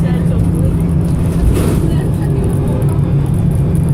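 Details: Arriva North West 3008 (MX59AAY) VDL SB200 bus diesel under full-throttle thrash, recorded December 2017: hard acceleration, rough uneven low beat heard through the cabin, engine misfiring.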